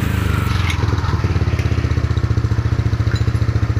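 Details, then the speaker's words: Yamaha N-Max scooter idling after repairing the stripped roller-housing (variator) shaft thread without splitting the engine, nut now tight: steady even low thumping idle, no rough CVT rattle; roughness fixed. "Oke, ini mesin sudah hidup, dan sekarang bunyinya tidak kasar lagi dari CPT nya karena baut rumah rollernya itu sudah kencang."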